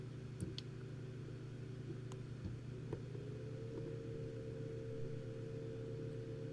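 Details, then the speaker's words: Enermax NEOChanger RGB pump/reservoir combo (ELC9C/NC200 RGB, 400 ml) stepped from lowest 1,500 RPM to 2,000 RPM: faint low hum with thin steady tone, no rattle, gurgle or grinding; no audible change, quiet normal operation. "Still not noticeable the difference. I honestly couldn't hear a change."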